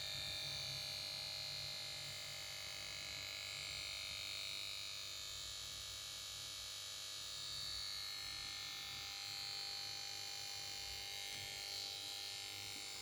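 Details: Samsung PS42A410C1XBT plasma TV that won't start: goes to standby and plays its switch-on melody, then a thin, steady high-pitched buzz and whine from the power board with nothing else starting.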